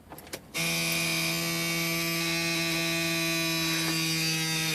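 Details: 1978 VW Rabbit diesel won't start after replacing battery ground strap: steady, even electrical buzz of fixed pitch as the original glow plug relay chatters instead of clicking.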